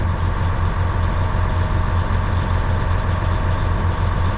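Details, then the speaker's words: 2012 Western Star log truck diesel idling while air builds toward 100 psi; steady heavy roar with slow pulsing fan whoosh that never drops off; spring-loaded fan clutch stays engaged, suspected leaking seals. "That fan should shut off. I think it would have been shut off by now."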